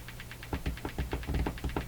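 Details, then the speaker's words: Hammarlund HQ-180 receiver motorboating with steady putt-putt pulses of about six per second over faint hum. The oscillation speed changes with volume and incoming signal, not the RF gain. "the incoming signal is coming in and so it looks like the RF doesn't affect the oscillation at all"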